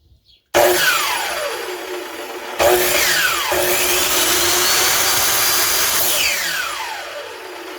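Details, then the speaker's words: SKIL 3311 telescopic-arm miter saw, a few years old, after its worn carbon brushes were filed down. The motor spins up to a clean, even whine and winds down smoothly with no crackle or stumble. Heavy sparking at the bottom is gone, and it runs normally again. "voltou a ter o barulho normal dela e essa parte de baixo aqui era muito muita Faísca e agora ficou normal"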